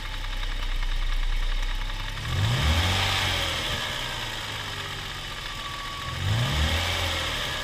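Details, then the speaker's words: Toyota 1G-FE (Altezza / Lexus IS200/IS300), fully warmed: steady idle with two short rev blips. A faint regular tapping of about four per second rises with rpm from the front timing cover. Absent cold; VVT clutch suspected, unconfirmed. "Звук идет отсюда. Такое ощущение, как будто это что-то связанное с ГРМ."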